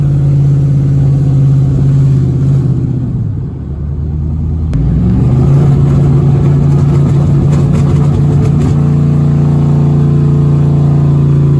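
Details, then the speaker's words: Chevrolet Avalanche truck after an exhaust fix on an owner-built exhaust, following a successful test drive. A deep, even rumble that dips then climbs cleanly with revs, with no ticking or puffing leaks: a healthy exhaust note. "quick test drive around the block was a success uh she sounded nice and sexy"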